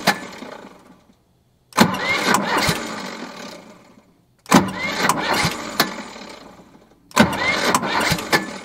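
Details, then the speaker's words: JLG 40H diesel 4x4 man lift, fuel system not yet primed or bled: three short cranking bursts, each catching just enough to kick the starter out, then stalling; hard starting from lack of fuel. "ing to fire it like it catches just enough to kick the starter out but then it stalls out again"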